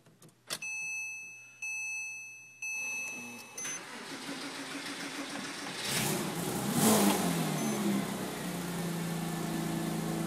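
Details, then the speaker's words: Porsche Boxster, base car with 3.2 Boxster S engine and 6-speed swapped in from a wrecked car, first start after the swap: ignition chimes, short crank, engine catches, revs and settles to a steady idle; starts cleanly. "Alright, here in the Porsche. Let's see if she fires up for the first time."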